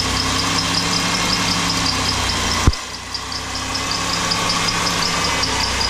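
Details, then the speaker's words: Engine with clean, pink fluid and no water in it: rough idle with an uneven metallic knock, worse at low revs and not at higher rpm; rod knock suspected from bad bearings, oil additive being tried. "that's pretty rough what's your expert opinion mr. Jerry um there might be knock"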